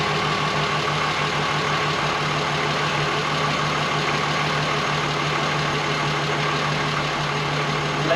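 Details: Mk1 Golf VR6 fired up after fitting the correct starter motor and connecting the brake booster outlet that caused an air leak: smooth, even idle with a steady low drone, no hiss, stumble or hunting; healthy.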